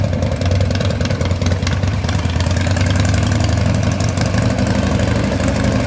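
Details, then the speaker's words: 1995 Harley-Davidson Wide Glide Evo 80 cubic-inch V-twin after reassembly with new gapless piston rings: deep, even rumble at idle with no ticks, knocks or misses, a healthy idle. "we've got Jasmine all put back together and she's running good you don't have any issues"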